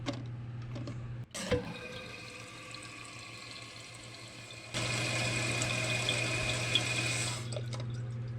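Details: Toilet after replacing its noisy, water-spitting fill valve with a Fluidmaster 400A and adjusting the water level: a steady hiss of the tank refilling, then the flow shuts off cleanly with no squeal or chatter.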